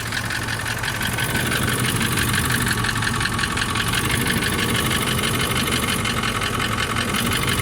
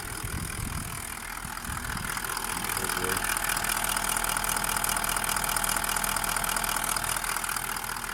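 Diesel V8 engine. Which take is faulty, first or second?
first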